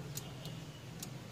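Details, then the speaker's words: 4D56 diesel, ignition on, fuel shutoff solenoid connector connected and disconnected: four crisp clicks in connect-and-release pairs over a quiet background; solenoid pulling in properly, no click would mean it has failed. "so when you connect this you should hear a clicking sound and if you don't that means your fuel solenoid is no longer working"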